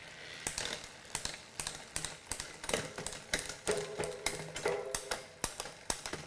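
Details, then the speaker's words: Mountain bike drivetrain on a post-ride check, after wiping the chain, shifted up from the bottom gear: crisp, evenly spaced clicks with no grinding or skipping, so shifting is clean and the derailleur is fine. "Just starting from the bottom, make sure everything sounds good. Everything's clicking through the gears nice and smooth."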